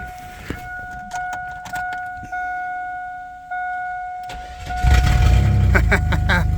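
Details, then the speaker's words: Vehicle after a new cap, rotor and coil wire (corroded points): several short cranking bursts, then it catches into a steady low rumbling idle; it runs and takes gear, but the muffler possibly has a hole and the ABS light is on. "Okay, so it looks like we have a ABS light on and it sounds like maybe the muffler has got a hole in it or something, but uh she's a runner, so we can use this."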